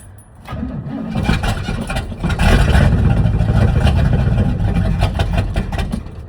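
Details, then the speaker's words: 1979 Chevrolet C30 square-body truck fed from a rigged gas can to the fuel pump, with a starter that sounds weak: slow cranking with brief sputtering catches that never run. It has spark but gets no fuel; the owner suspects a bad fuel pump. "Oh, come on. Could be a bad fuel pump. I don't know."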